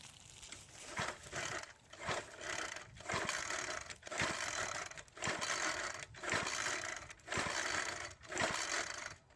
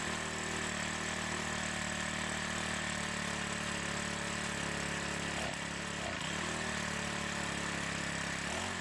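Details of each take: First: Troy-Bilt 4-cycle edger, primer bulb filling, choke on below 40°F, cold: pull-cord rips about one per second, each whirring then dying with no firing. Crank, no start. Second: Troy-Bilt 4-cycle edger with diaphragm carburetor, started after priming gas into the carb throat: small engine holds a steady buzzing run with a few brief wavers, no stalling; running normally, carburetor may still need attention.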